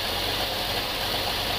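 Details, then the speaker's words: GMC 3500 454 V8 with valve cover off, warming up at a choppy idle, with low oil pressure and overheating after about ten minutes: faint fast valve-train ticking over the idle, from rocker valves adjusted far too tight. "hear a little bit of ticking [Music] so let's see how tight these guys are"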